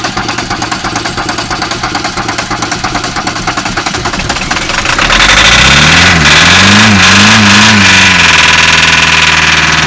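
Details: VW Caddy diesel with a hard cold start running on three cylinders: lumpy, uneven idle with a pulsing beat that stays ragged as revs rise. Owner suspects a valve or crank issue, cause unconfirmed.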